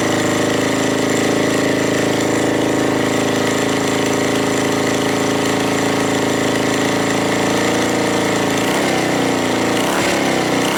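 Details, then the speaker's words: Suzuki GN250 single-cylinder after work on top-end ticking (suspected valve clearances, cam chain or tensioner); loud, steady idle with an even beat and no ticking, only rattles from unattached parts around the bike, the engine sounds like new. "it's working it's not ticking it's rattling but that's because of all my things around the bike are not attached so it's only just things going around there but the engine sounds like new"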